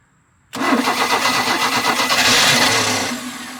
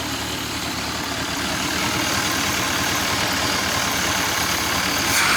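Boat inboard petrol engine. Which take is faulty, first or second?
first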